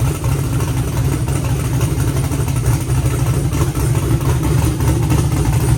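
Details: Car running after adding two quarts of fluid to a used transmission that whined on its first test drive (pump suspected); steady engine rumble, no whine on top, more responsive, owner hopes it was simply low fluid.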